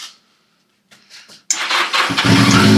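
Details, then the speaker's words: 1982 Yamaha XJ650 Seca four-cylinder, sat 4½ years with stuck carburetor and old gas; pod filters off, brake parts cleaner sprayed in; engine catches abruptly and runs rough but strong briefly: first start in 4½ years. "But that being said, that thing just fired off like that for the first time in 4 and 1/2 years."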